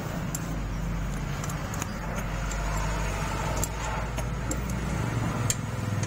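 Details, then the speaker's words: Yamaha Mio 125 scooter at idle before valve adjustment; the complaint is a valve-area tick and knock, a light sharp sewing-machine-like ticking over a low idle hum from excessive valve clearance. "Pasien ini keluhannya bunyi di bagian klep bro ya, dan bunyi ngelitik ya bro."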